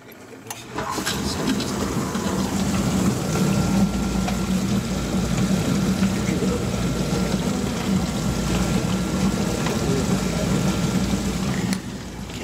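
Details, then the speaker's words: GE dishwasher after wash motor replacement for loud noise, new braided water line: even low motor hum with water swishing, no grinding or rattling; running normally. "so now we'll go ahead and fire it up check for leaks sounds a lot better already"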